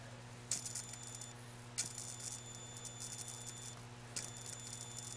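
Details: Atwood APS-5530 RV power converter outputting only 6 volts: irregular sharp dry crackling over a steady low hum when the light-bulb load switches on.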